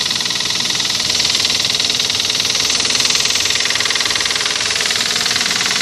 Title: Стук в двигателе 1gz